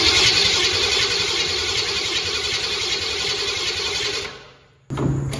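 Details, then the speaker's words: 1972 Ford Pinto drag car with a 302 V8, C4 transmission and Holley HR-680-VS carb, not run for a while: long steady cranking at about 3.5 beats a second with no pops. It is getting fuel, owner thinks it has spark and suspects timing. "It wasn't even trying, was it? It never even popped. The way it was cranking, it almost has to have spark."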